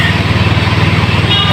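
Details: Fuel-injected motorcycle idling after its injector and throttle body were cleaned and refitted: a steady, even putter with no stumbling or rough hunting; the small engine runs cleanly and the cleaning worked.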